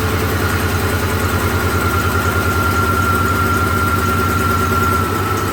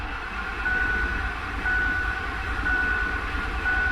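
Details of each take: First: 2007 Ford F-150 4.6 V8 with a flashing MIL and P0302 has a rough, lumpy idle with an irregular stumble. Unplugging the number 2 injector made no difference, isolating the dead cylinder to number 2. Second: 2007 Ford F-150 4.6 V8 with flashing MIL and P0302 misfire history, cranking in clear-flood mode at wide-open throttle: steady even cranking beat, no lope or stumble, so no serious mechanical problem suspected; owner suspects failed coil or plug.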